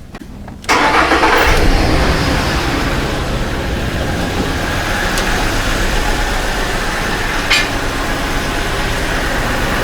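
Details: 2008 Ford F-150 4.2L waste-spark ignition with new plugs, wires and coil packs; cranks, then an uneven chuffing idle with a missing beat; a bad PCM coil driver leaves one coil not firing; two-cylinder misfire.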